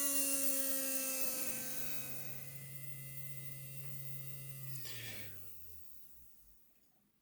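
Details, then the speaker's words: Heljan Class 23 model locomotive motor, removed and bench-tested at full power, drawing about 1.5 milliamps. Thin, steady high whir winding down smoothly to a stop, nothing scraping or catching. Motor healthy, no sign of failing. "well I'm not seeing any evidence to suggest the motor's on its way out"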